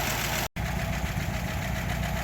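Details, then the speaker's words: 1936 Buick Century 320ci straight-8, warm, just after the exhaust manifold leaks were fixed and a test drive. Deep, steady idle with an even low rumble and no puffing or ticking at the manifold. Runs clean and healthy. "Oh, there we go. Exhaust leaks are fixed. At least for now, until I do the rest of the exhaust. Just took it for a spin around the block. Ran great. Sounded great."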